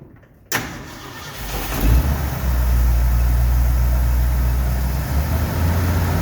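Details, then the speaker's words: 1969 Ford F100 after rebuilt carburetor refitted with old weak power valve; cranks, catches, loud uneven idle with busy ticking clatter on top; valve train noise of unknown cause, bad brake master cylinder vacuum leak also found. "There's a lot of valve train noise tonight. I don't know why, but the valve train is clamoring."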